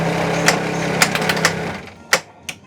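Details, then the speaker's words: Stern Jurassic Park pinball during play after replacing bad coil stops for a weak flipper: steady low shaker motor rumble under flipper and coil clacks, stopping cleanly after about two seconds; normal shaker motor operation. "shot some weight can you hear that shaker motor pretty cool"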